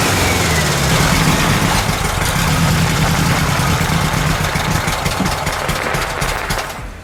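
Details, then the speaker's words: VW Super Beetle air-cooled flat-four after carburetor mixture adjustments, warming up: a fairly steady idle at three to four pulses a second, running more evenly but still not 100%. Normal idle. "that's much better i just made a couple of uh mixture adjustments on the carburetor now it's running much more evenly now still not 100 so"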